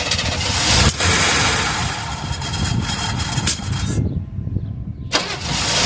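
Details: 1978 Chevrolet Custom Deluxe truck after sitting for years, previously stuck engine: long loud cranking that won't catch, a pause, then more cranking; carburetor had a little water in the bowl, flooding from a sticking float. Extended cranking, hard start.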